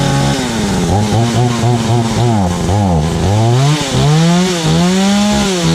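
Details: Stark Chinese chainsaw after ignition coil replacement: revs cleanly, bogs slightly into the wood, then picks back up smoothly with no sputter; healthy running under load.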